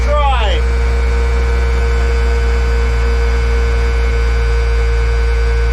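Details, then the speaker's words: M35A2 military diesel truck after sitting long with old fuel, started on fifth try with ether: deep even hum at steady pitch, no misses, knocks or surging; seems to run pretty good, drives itself; normal running. "seems to run pretty good awesome"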